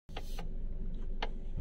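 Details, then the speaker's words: Car with electric power steering (EPS) at full left lock: a few sharp uneven clicks over a low cabin rumble as the steering bites and drags. "Jadi pas posisi full belok kiri itu dia menggigit dan timbul suara cekret ceket ceket ceket"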